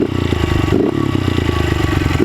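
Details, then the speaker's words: Honda CRF110 after installing a Legacy Minis billet starter ring at half OEM weight: small revs drop RPM faster, but idle hangs a bit high and slow to settle; owner says other causes possible. "Still, it's like a bit of a hanging idle, but that could be, you know, other stuff too."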